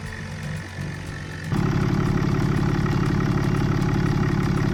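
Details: 2007.5 Dodge Ram 2500 6.7 Cummins diesel (EGR deleted), after water pump replacement and coolant change: engine starts and settles into a steady, even idle with no knocks, squeals or rattles, no leaks; normal idle.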